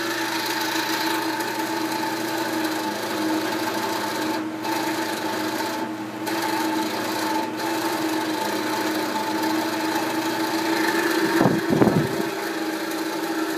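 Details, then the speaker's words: Knapp Monarch Duo-Aire floor fan on high speed, drawing about 1.65 A: a steady hum with a gritty rasping drone that fades as it spins down. The motor is noisy, and the owner suspects worn thrust washers, with the shaft showing much axial play. "now on high speeed it really gets noisy and I really don't want to run it because I'm afraid it'll wear it down too fast without having the condition of the motor checked"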